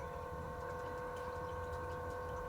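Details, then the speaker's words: Maxspect Gyre XF 230 pump on a Red Sea Reefer 250 reef tank, cranked back up to 70%: a constant mid-pitched electric hum with steady tones, clearly noisier than the silent Ecotech MP40 running beside it. "and it's got a distinct sound to it, I will say that."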